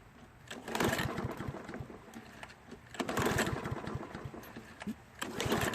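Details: Toro mower with debris-clogged carburetor from bad gas: three pull-cord bursts about two seconds apart, engine turns over but never catches; fuel-starved, plugged jet.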